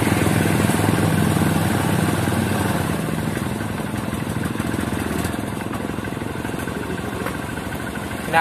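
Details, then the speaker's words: Honda Supremo TMX150 single-cylinder motorcycle, clean fuel, air cleaner already cleaned: putter about 214 beats a minute that stumbles and bogs unevenly; misfire. "pa rin mga idol may ibang pinagmumulan yung problema nito mga idol"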